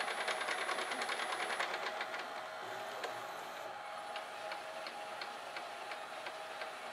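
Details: GoVideo DVR4000 DVD-VCR after repairing a cracked take-up drive gear detached from its clutch with hot melt glue, tape loaded: steady light whir with soft regular ticking about twice a second; normal, smooth fast-forward.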